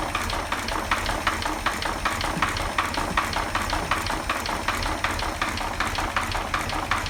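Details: 1940 Chevy 216 engine at slow idle with oil pressure about 5: sharp, evenly spaced knocks over a soft hum from worn bearings; engine needs a rebuild.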